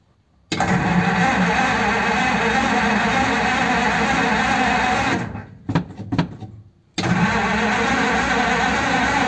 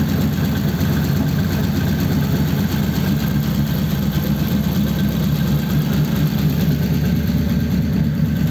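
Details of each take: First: 1933 5-window coupe, crusty flathead, parked nearly 3 years, choke on and pedal pumped: steady starter cranking about three turns a second with no catch or firing; no spark. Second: 1933 5-window coupe, worn "crusty" flathead V8 started after nearly 3 years parked, idling in a closed garage through dual pipes with very short mufflers: even, loping low rumble with no stumbles, misses or tapping; normal healthy idle.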